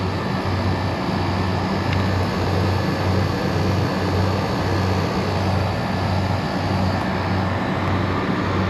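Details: Refrigeration unit at a liquor store with a newly replaced condenser coil (old one leaked), running while recovered refrigerant is charged back in: steady fan and compressor drone with gentle rhythmic pulse, no grinding, rattles or squeal; unit runs normally.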